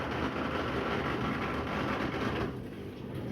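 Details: Washing machine on drain program P, with water added to the drum after coming out of storage. Steady whooshing pump with even water noise settling lower; it was very noisy running empty and works normally once it has water.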